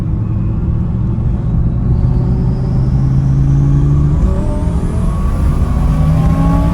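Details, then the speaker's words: Twin-turbo Audi R8 at about 5,000 ft elevation in traffic, deep exhaust rumble with a loud thin whistle rising in pitch through a boost pull; healthy turbo spool, normal whistle. "that was a good boost pull right there I hope the camera's picking up that whistling cuz this thing's so obnoxiously loud with that whistle"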